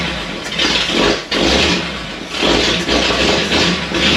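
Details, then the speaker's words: 1937 Ford taildragger with a new, tight 59AB flathead V8 on a 6V system, first start after a starter swap: it catches with uneven surging revs, then settles into a steady rumble with no knocking, about 30 psi oil pressure; runs normally. "Well, how about that? That appeared to do something. I guess it runs. Holy moly!"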